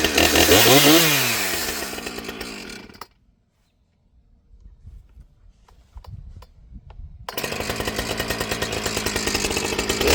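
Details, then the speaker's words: Husqvarna 455 Rancher chainsaw, bogging fixed after correcting swapped fuel lines; revs up and down cleanly, quiet pause, crisp pickup without bogging; running healthy. "Well guys, I think we have pretty much solved the problem of the 455 Rancher."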